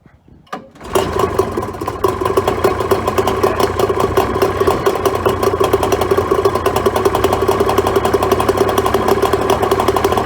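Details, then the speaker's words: Neglected 2004 Tohatsu 25HP two-stroke outboard (same as Mercury) with fresh fuel, cleaned fuel filter, new plugs and repaired pull starter: cranks, catches within a second and settles to a steady, even two-stroke idle buzz. No water from telltale yet. Normal running. "But look, I'm pretty encouraged. It sounds like it's going to run fine once it's had a bit of a decent run."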